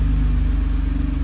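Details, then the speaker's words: Nissan R35 GT-R engine misfire heard as a rhythmic popping thump at idle, resonated through the prop shaft, which pops each time the engine misfires; often mistaken for bell housing rattle. "That's a misfire. That's a smooth running engine. The engine is not running perfectly."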